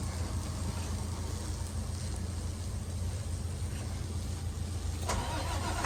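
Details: International WorkStar work truck, no-start part 2: the starter keeps the engine turning over in a steady low churning rhythm but it never catches and runs; cranks without starting.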